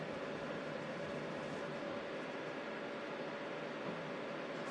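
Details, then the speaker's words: Thermalright Assassin Spirit 120 V2 CPU cooler fan on Ryzen 3600X during game load, CPU peaked at 76°C then 45; steady airy rush with faint hum, no ticking or grinding; normal fan at high speed. "So, starting it was up to 76 the highest. I can hear the fan really going now."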